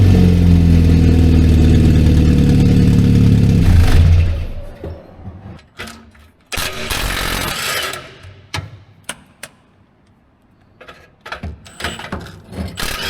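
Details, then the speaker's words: 1964 Jeep CJ5 barn find at idle before new muffler fitted: loud raw blatty idle with steady beat and deep rumble through blown-out, essentially open exhaust. "we're going to replace this one because it is blown out so for some good comparison of before and after I'm going to fire it up now let you guys hear it and then uh we'll do it again after the muffler's put on"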